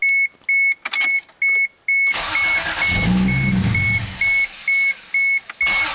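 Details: Door chime, then the starter cranks steadily for about three seconds without the engine firing; no start with no AFM, cause suspected, not confirmed.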